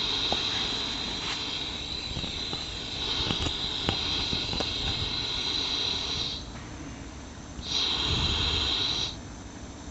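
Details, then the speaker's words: Ford Ka 1.0 12V three-cylinder that knocks, vibrates, misfires and lacks power, on a leak-down test with the microphone near the exhaust: a steady airy hiss of air escaping, confirming a leaking exhaust valve and a cylinder-head problem. "já viram aí que mudou o barulho né e é nítido colocando a mão ali dá para sentir dá para sentir também o ar saindo então de Fato comprovado aqui que pelo menos um problema de cabeçote nós temos nesse motor"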